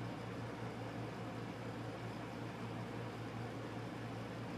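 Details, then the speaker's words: 240-volt wall unit on air-conditioning mode in an uninsulated enclosed porch: a steady, even low hum with smooth airflow and no knocks or rattles, already blowing cold. Normal cooling operation. "Yeah, that thing works great."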